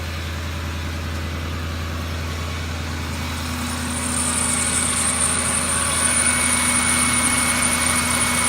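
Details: Ford F150 idling late at night: thin high squeal and faint whine rising from the belt drive, caused by a bad belt tensioner and a couple of pulleys; truck quiet again after replacement.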